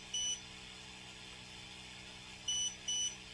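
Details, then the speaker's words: Creality Falcon 2 22 W laser engraver, new, homed then asked to frame with no G-code loaded: three short high beeps, one then a pair, controller refusing the job; otherwise everything working. "so obviously there's no gcode in the route already so I won't be able to do that but everything seems to be working"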